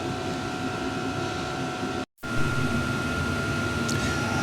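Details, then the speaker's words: Partner lawn mower engine, reassembled after a bent crankshaft, new pull-start string: steady even drone and hum with no knocks, misses or surging; the engine idles and performs normally. "but luckily that engine seems to be performing for as long as I have had it running"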